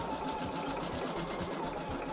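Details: Embroidery machine with automatic needle threader, test-running a design before it goes out. Fast, even stitching chatter of about seven stitches a second, with a steady rhythm and no knocks or grinding. Normal stitching.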